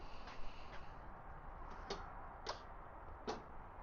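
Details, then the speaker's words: Six-cylinder muscle-car-looking car, likely a slant six: only single clicks at each key turn with no cranking; the starter relay engages but the starter motor does nothing. Owner wonders if slant six starters differ. "Uh, so the starter is not doing anything."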